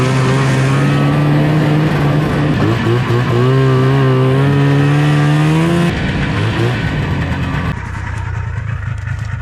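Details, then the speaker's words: Old Arctic Cat two-stroke snowmobile in cold weather, smelling of stale gas: engine drone wavers and sags in pitch then fades unevenly, close to stalling; engine stumbling, cause not confirmed. "All right, that's killed. Sounds like the sled's about to die. Willard, save it."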